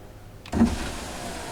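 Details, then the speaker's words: 2004 Cadillac Escalade EXT, engine running: click then smooth steady driver's power window motor whir, working again after the window switch repair. "Yes, it does. That window has not worked in a very long time."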